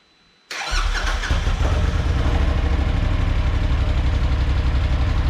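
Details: Polaris RZR, first test run after the turbo was cleaned, checked for free spin and reinstalled, with a fresh oil change: the engine catches at once and settles into a steady, throbbing idle of about four pulses a second, with no knock or rattle. Normal start and idle.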